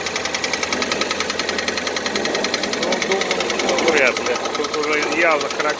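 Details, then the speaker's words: Kia Cerato 3 (2014, 2.0 L, about 143,000 km), cold start: quick, light metallic tapping about three times a second at idle. Piston knock; diagnosis found scored cylinders 2 and 3. Knock present for about 1,000 km, first thought to be hydraulic lifters. "стук поршней слышно"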